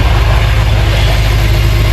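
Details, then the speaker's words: BMW M5 with S63 twin-turbo V8, first start after rebuild and airflow meter fix; deep steady even idle, smooth low rumble, no knocks, misses or leaks; running healthy. "As you can see, she's running, everything's good, no leaks."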